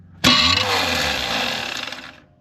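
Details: 1991 GMC Suburban R1500, 5.7 TBI with a 168-tooth flexplate and offset-bolt starter: a harsh two-second metallic grind when cranking without firing; the flexplate teeth looked fine and shims didn't help, so the starter is being replaced.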